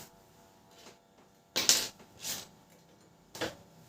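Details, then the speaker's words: Canon LBP 6030 laser printer not printing, gear noise from one side of the unit: irregular bursts of sharp clicking and rasping every second or so; a faulty gear is suspected. "इस side से यहां पर आवाज आ रही है। यहां पर तो यहां पर यहां पर हमारा ही खराब है। ठीक है?"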